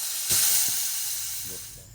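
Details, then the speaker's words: 2000 Chevrolet Silverado 1500 5.3L having its AC system discharged before a turbo manifold install. Loud, steady, high-pitched refrigerant hiss from the opened valve, slowly fading to a whisper after about six minutes; normal AC discharge. "so it did take longer than I expected to D pressure the system but you can hear it's pretty well down to a whisper coming over there now"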